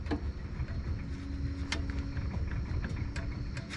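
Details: Chevy Traverse/GMC Acadia front suspension after replacing the blown-out right front control arm bushing, torqued with suspension level; low steady rumble with only faint light ticks, no heavy clunk over bumps anymore.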